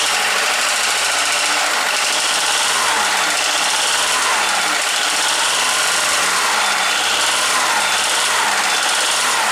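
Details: Skoda, probably Fabia, with 1.4 16V petrol engine at idle: hard, rapid metallic knocking from piston slap in worn cylinders, before teardown and piston replacement.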